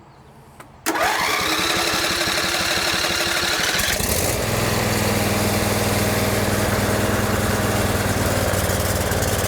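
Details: John Deere L120 lawn tractor, Briggs V-twin, sat about a year, after a repair (now clicks with the key): cranks briefly, catches right away and settles into a steady, even beat with no misses; runs normally.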